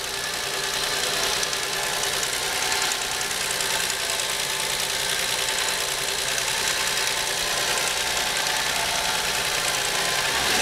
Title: car engine rattling - What's this Noise?